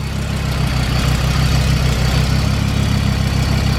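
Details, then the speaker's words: 1991 Audi 90 Quattro with big-turbo S2 engine and straight pipe, idling: faint rapid puffing over low idle from an exhaust leak where gases are felt escaping; engine running rich, needs tuning. "Oh yeah, it's definitely has, you can see, I can feel the exhaust gases coming out right there. Oh, that's bad."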